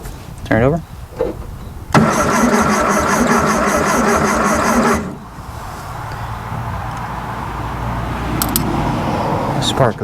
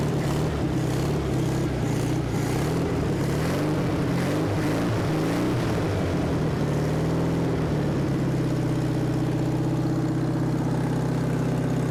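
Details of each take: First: 1974 VW Thing engine, not run since about 1989: steady starter churn, about three compression beats a second, never catches; cranking with no spark, points to be cleaned. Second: Abandoned 1974 VW Thing air-cooled engine, first start since about 1989: rough, uneven beat at first, then a steady low thrum at about four beats a second, running well.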